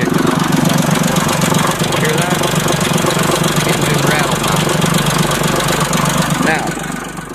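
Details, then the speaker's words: 2006 Mazda 6 V6 with P0300 multiple misfire code, vacuum low bouncing 9–11 inHg: idles with fast, uneven metallic rattle, spark knock, over loud cooling-fan roar; restricted exhaust suspected. "rattle now. Spark knock."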